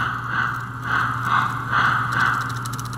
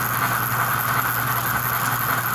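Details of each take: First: 65-year-old American Flyer toy train with added 4-chuffs-per-revolution smoke: uneven scraping chatter about twice a second over steady motor hum as drive gears jam and slip; owner suspects the idler isn't doing its job, a stretched chain, or his added piece. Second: 65-year-old American Flyer toy locomotive retrofitted for four chuffs per revolution with synchronized smoke, running under load on a sound board: steady even chuffing over constant motor hum, smooth cadence; running properly.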